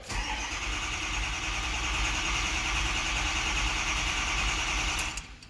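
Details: 2006 Ford F250 6.0L Powerstroke crank no start, first when hot: steady fast cranking whir for about five seconds, never fires; about 1300 psi seen while cranking, voltage held.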